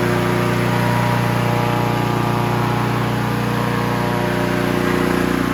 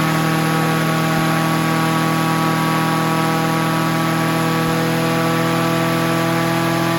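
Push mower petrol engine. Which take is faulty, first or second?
second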